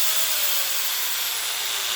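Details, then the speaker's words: DeWalt DWE4120 angle grinder revived after new motor brushes, breaking in: high, smooth motor whine at full speed with steady pitch, initial clicking gone, no rattles; runs healthy. "And then when it sounds like those little clickety clicks are going away, run at full speed for a few seconds and check operation one last thing."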